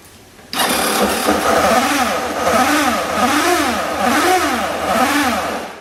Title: SUZUKI AddressV125G アドレスV125G エンジン異音